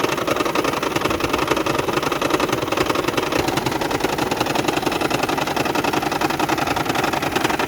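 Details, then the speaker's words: 2010 Toyota Prius hybrid at idle before repair, no DTCs stored: busy, uneven rattle with steady ticking near three beats a second and heavy shaking, near stalling; misfire caused by the EGR valve plunger stuck open and not sealing. "the vehicle has come to our garage with the symptom that sometimes the engine is rattling shaking heavily and misfiring the engine is about to be stalled"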